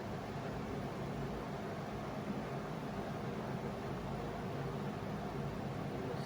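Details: Cummins 4BT diesel in a Power Wagon, first run since 2015, filters, temporary battery, 8 psi fuel pressure, not hot; quiet, even idle with steady low beat, no misses or knocks: normal healthy idle.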